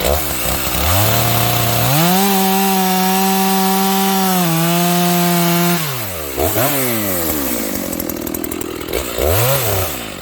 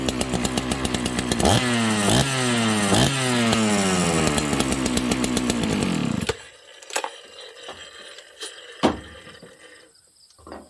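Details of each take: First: Stock Dolmar 7300 chainsaw, high-speed jet fully out to the limiters, cutting wood: a steady high-pitched scream with little four-stroking. It got quite warm in a few cuts and the bar may be clogged; lean high-speed mixture, with limiter removal planned. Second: Dolmar chainsaw, high compression, started on full choke: starts and revs up cleanly with crisp, quick rises and drops in pitch, then shuts off; strong, healthy-sounding saw, normal running.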